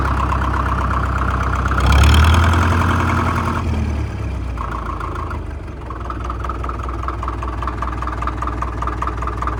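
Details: 1947 International Harvester TD-9 gas-start diesel crawler, American Bosch injection, running after magneto rebuild; after a brief rev, steady even chug about four beats a second, clean stack, healthy idle.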